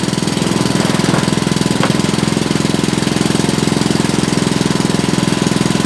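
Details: Honda GC160 5 hp single-cylinder after hard-start repair (faint spark): steady, even chugging at constant speed with no misses or surging; running properly.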